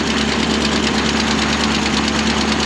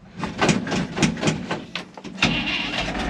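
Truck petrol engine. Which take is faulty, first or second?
second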